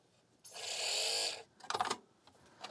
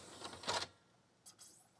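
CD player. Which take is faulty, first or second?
first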